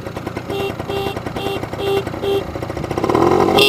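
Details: Honda Spree scooter with weak battery, starter not working: thin, short horn beeps about every half second over a puttering idle grow stronger when revved; horn weak at idle, louder with revs.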